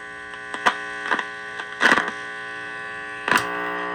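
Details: Heathkit IT-12 tube signal tracer with its probe set to RF: a constant low mains hum with a few handling clicks and no RF signal coming through; the owner wonders if the RF/audio labels are swapped, and the cause is unconfirmed.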